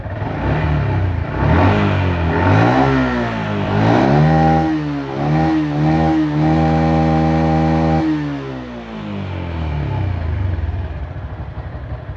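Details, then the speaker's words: Yamaha Jupiter MX 135, 2011, 11 years of use, all original: revved through several blips, pitch rising and falling smoothly with no knocks or rattles; engine sounds healthy. "Masih oke guys suaranya ya. Kalau menurut saya ya."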